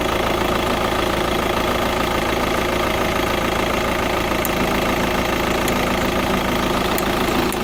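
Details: VW TDI diesel at idle: a light, fairly regular tick, roughly three or four a second, over a steady diesel idle; the source of the ticking is unclear.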